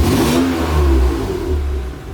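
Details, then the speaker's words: 1991 Acura NSX track car with J-series engine swap on AEM V2 standalone ECU, idle tuning: revved then released, note drops and sags to 600-something rpm below roughly 800 rpm idle before recovering; idle target still needs adjusting; idle speed dip after rev. "Let's see how stable it is if I rev it. Let it fall back. Little bit of a dip there."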